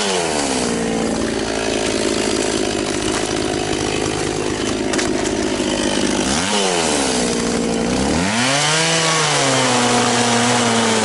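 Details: Very high-mileage Echo CS-670 chainsaw (thousands of hours) cutting a chunk from a tree after a fix for not cutting straight and hard starting; high strong howl pulls down as the chain bites and snaps back between cuts, a bit slower but cuts efficiently without stretching the chain; normal cutting under load.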